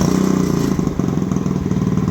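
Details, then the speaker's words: Icebear Maddog 50cc scooter on an electric fuel pump, warming up: after a blip the buzz stays up instead of dropping to idle, so revs hang; owner suspects the carburetor. "that's what I'm talking about see how the the RPMs kind of hang for a minute"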